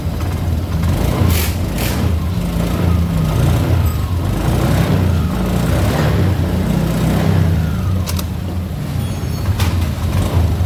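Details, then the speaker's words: Honda Beat Deluxe scooter after CVT block bearing replacement: smooth low drone with steady pitch, no whirring or grinding from the drive; CVT no longer noisy. "Okay, and it worked. It's no longer noisy for the CVT."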